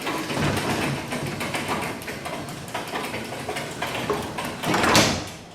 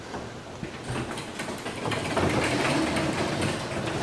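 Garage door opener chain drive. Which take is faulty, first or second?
second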